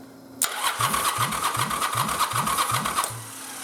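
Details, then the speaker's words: Yamaha Virago 920 motor converted to XV1000 starter system, ignition off, cranking with the XV1100 2nd-gen Bendix gear and barrel: starter whirs steadily, even compression pulses about three a second, no grinding or slipping; normal cranking, gears stay engaged. "So, now let's turn our ignition off and let's crank it. And let's see if this guy goes bob bob any different than it did with the 1000's bendixen barrel."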